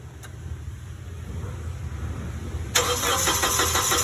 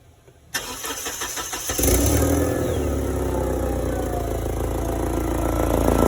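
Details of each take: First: Forklift: starter cranks under three seconds, then the engine catches cleanly and settles to a steady, even idle with no exhaust ticking. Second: Forklift engine: cranks, catches and settles into a fast idle with a puffing, chuffing edge to each beat, pointing to a leaking exhaust. Cause suspected, not confirmed.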